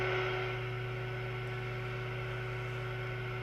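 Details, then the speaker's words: Moonraker Minor II Plus UK CE-Multi CB radio on FM receive with the signal generator modulation off: constant low buzzing hum with a steady tone. Synthesizer noise leaking into receive audio. "you see we've got that nasty buzzing hum from the synthesizer just as bad as the previous version in reality you shouldn't hear that it's not ideal"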